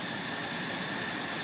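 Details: 2006 Dodge Ram 1500 Mega Cab 5.7 Hemi, warm: a thin, constant high squeal over idle, unchanged by speed and present with the belt removed, loudest at the first exhaust joint near the transmission. Source undetermined.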